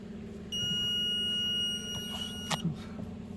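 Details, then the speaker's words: Hyundai Solaris 1.6 G4FC manual on LPG, 443,000 km, first start after oil-consumption and piston-knock repair: steady idle under a long high-pitched gas system warning beep that then stops; engine runs even and quiet. "газ пикает пикает чирикает Что ему надо так ну вроде всё перестал пи"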